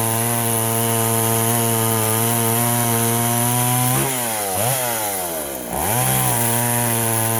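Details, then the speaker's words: Poulan 3400 Countervibe (Craftsman 3.4) vintage chainsaw loading up and smoking before carb repair, still loading up despite leaning out the mixture; steady rough burble then sags and bogs twice under load, flooding rich; metering lever suspected set too high. "okay mister 3400 is loading up on me when i was trying to run it for that video"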